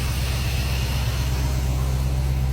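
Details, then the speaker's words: 2016 Dodge Charger at first start after finishing work: steady, even low idle under a constant fan whoosh, no knocks or ticks; slight smoke from fingerprint oil burning off the headers, engine sounds healthy. "oh yeah boy but she sounds good little Smokey be all right I think she's doing all right though"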